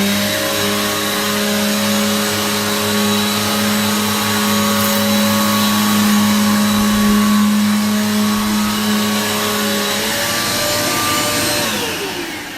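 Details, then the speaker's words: Repaired vacuum cleaner after fix: smooth, even motor drone at constant pitch that winds down cleanly at switch-off; suction picks up dust, normal running. "you can already see it picked up the dust that's so you know the suction works"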